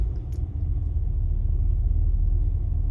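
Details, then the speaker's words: 1985 Chevrolet Caprice Classic, 5.0L 305 V8, about 152,730 miles, just started after replacing the EGR valve. It starts right up and idles with a low, smooth, steady rumble, no misses, stumbles or surging, while warming up. "okay so starts right up let it idle for a little bit warm up and see how it performs"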